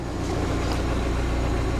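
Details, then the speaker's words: Rover 200Vi idling after a breakdown with steam: smooth, even low idle hum with constant pitch, no ticking; waiting for the cooling fan to cut in, running normally so far. "the point where the fan is needed just yet so how much longer that will take but it all seems to be running good"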